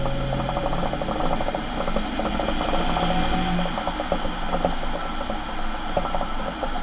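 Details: Ford Transit van: rhythmic gear clatter and ratcheting over a low rumble; worn rear differential.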